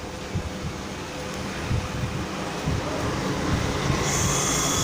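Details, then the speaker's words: Two DC fan motors for an air cooler, run from a laptop power supply at 17 volts, switched on: smooth whirring swells as they spin up, then a clean, even high whine with no knocks; normal, healthy startup. "ये आपको इसकी ऑडियो भी सुनाई दे रही होगी कि ये मोटरें दोनों जो हैं ये ऑन हैं।"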